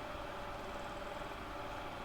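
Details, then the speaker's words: Soldering hot air station fan, likely a fake branded knockoff, owned about a year or less and little used: steady airy whir with a rough, gritty hum underneath; fan bearings already worn. "you can hear the bearings have already gone the fan. So, yeah, I think it's probably a fake HO, not a real HO."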